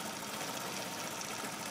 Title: Honda c70 rough idle